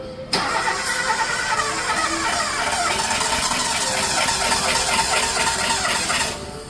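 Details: Toyota Avanza sat unused five years: starter churns engine rhythmically about six seconds without catching due to stuck throttle body; after fix it starts and idles smoothly.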